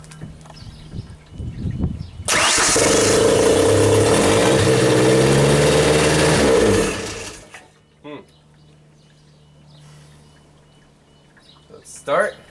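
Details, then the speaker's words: 1992 Genie boom lift engine, not run in two years, started with no throttle: runs evenly about four seconds then dies abruptly; suspected ignition or safety relay cutting ignition, not confirmed. "stall or start run stall that's what it is right now ah okay so now I think the ignition relay or whatever is actually cutting the ignition because every time we can start it it's like off"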